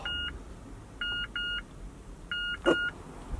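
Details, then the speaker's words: Push-button start automatic car won't start; pressing the ignition button gives short two-tone beeps in singles and pairs, about one a second, with no cranking. Foot on the brake, still dead; owner wonders if it's the battery. "well when you press the ignition button nothing happens it makes us lose noise so I'll know if it's gonna put like battery or what"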